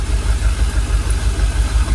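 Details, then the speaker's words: Jaguar XKR after about 10 years dormant, idling with fuel pressure gauge on the Schrader valve reading 45 PSI; low, even idle with smooth regular pulse, no ticks, knocks or stumbles, engine no longer rocking as before; normal idle. "Sounds alright, doesn't it? You can see on the engine, look, it's calmed down. It's a lot smoother. We're not rocking like it was."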